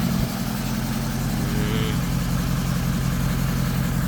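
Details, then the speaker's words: Range Rover TDV8 4.4 diesel V8 idling after a complete engine overhaul: even, steady diesel clatter holding a constant pace with no hunting or knocking; runs smoothly, radiator and bumper still to be refitted. "We are doing the engine overhaul. The car is okay now. The engine is running. The owner is happy."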